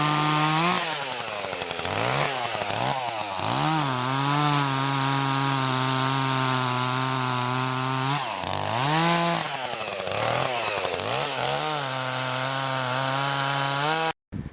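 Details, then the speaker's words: Chainsaw, new-to-owner, unused since early December, cutting wood at high revs: two-stroke scream with the pitch sagging and recovering repeatedly, bogging down and dying a little under load. "know if you can hear that running but it's a kind of bond out in dying a little bit"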